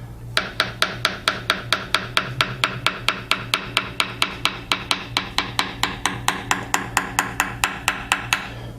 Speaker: so you might have noticed that right in this area it went from a solid tone to a more flat uh buzzing like sound